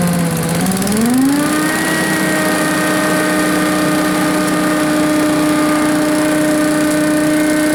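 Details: Blower, run outdoors, picks up quickly then holds a smooth steady high speed with no surging or misfire; its old fuel-starved surge is much reduced; runs clean and healthy.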